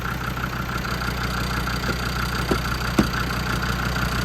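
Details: Land Rover TD5 diesel after viscous fan bearing replacement: steady, even idle with a smooth low drone and faint regular ticking, no knocks or rattles; a rattle was traced to a cover; engine sounds healthy.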